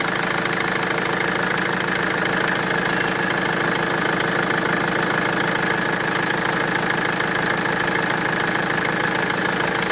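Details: Mercedes diesel after replacing the injection pressure regulating valve (rail pressure fault had appeared at about 3600 rpm), with air being bled from the circuit: a steady idle with even clatter and no misses or hunting. Normal idle.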